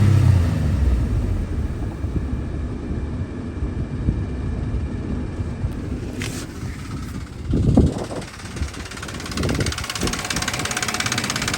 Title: 2006 Frontier low oil pressure and rough idle after run up